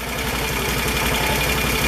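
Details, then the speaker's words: Can-Am ATV after CVT clutch slider shoe replacement, new belt and rebuilt one-way clutch: steady low idle with a smooth beat and no clutch rattle or clatter. The drive is quiet and healthy. "let's see what happens when we fire it up oh my god there's no noise that is amazing"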